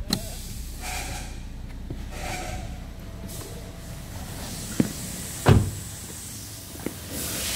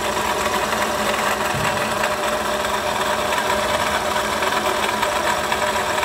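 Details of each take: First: Toyota Sienta after water pump replacement, listening at the front of the engine: steady low idle hum with a few handling clicks and no rough grinding; harsh noise came from the water pump's rough rotation, now normal. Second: Toyota Sienta at idle, owner complaint of rough engine noise; oil pressure OK, steady rough gritty whirr dominant at the water pump area, no knock rhythm; worn water pump bearing, water pump replaced.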